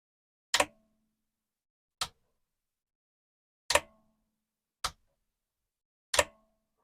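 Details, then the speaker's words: Commodore 1525 dot matrix printer (Vic-20/C64), long-stored, test switch on but not printing: six sharp irregular clicks about a second apart, carriage jumping slightly with no smooth travel; ribbon very snug, owner suspects ribbon too tight or not seated properly; carriage jam. "it's making noises and it's jumping a little bit every time I do this so I'll keep doing it"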